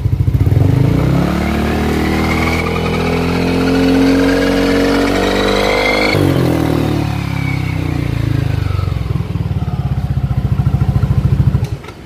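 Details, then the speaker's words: 2022 Yamaha NMAX scooter: silent at idle and 0–25 km/h, above that a thin whistling whine rises with speed from the final drive (gardan), fades as it slows; gardan bearing replacement tested as suspected fix, unconfirmed. "langsam maupun jalan di kecepatan 0 sampai 25 km itu dia nggak bunyi cuman di atas itu dia bunyi nah bunyinya itu seperti ini ya kalian bisa dengerin"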